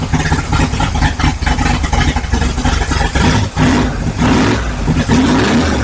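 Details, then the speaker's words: 1955 Chevrolet big-block V8 on first start, warming up: idles fast around 1000 RPM, lumpy, sagging and stumbling as if to die; owner thinks it may need more timing. Cause suspected, not confirmed. "it'll thats pretty good so it wants to idle like a th000 RPM there but then it kind of dies so to sco more timing maybe"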